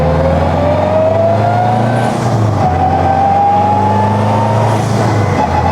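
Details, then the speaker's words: 2021 Honda Civic Type R with freshly rebuilt engine, accelerating through gears: loud gear whine rising in pitch, dropping at each shift then rising again; straight-cut transfer gears make the transmission about twice as loud, normal. "I would say the straight cut transfer gears made the trans probably twice as loud it's such a good sound though I love how it sounds"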